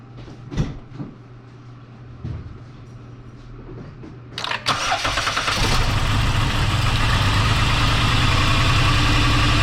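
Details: 2010 Dodge Grand Caravan 3.8 L V6 starts and idles roughly with an uneven, stumbling beat, multiple-cylinder misfire codes, before replacing spark plugs, wires, an ignition coil and the PCM.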